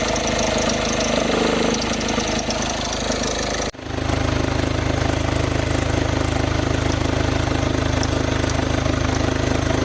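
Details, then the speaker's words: VW Jetta engine idling loud and rough, shaking, with steady crackling rattle from the belt drive; alternator pulley seized, won't turn either way, reducing belt flexibility. "Rady Cumartesian her önce gördüğünüz gibi motor çalıştığı esnada Jetta'nın kayış bölgesinden ses geliyordu."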